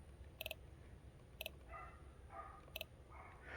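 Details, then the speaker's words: AWD Ford Festiva four-cylinder, engine off, fuel pump disconnected, new coil wiring tested via FuelTech: short snaps about a second apart as each coil fires in turn, order 1-3-4-2; all coils hitting correctly. "So looks like they're all hitting right, and it should go 1, 3, 4, 2. That is the firing order."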